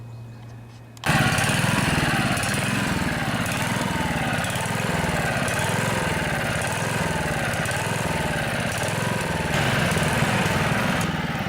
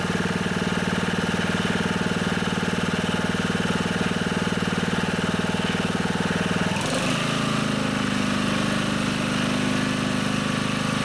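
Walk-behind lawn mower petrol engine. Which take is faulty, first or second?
first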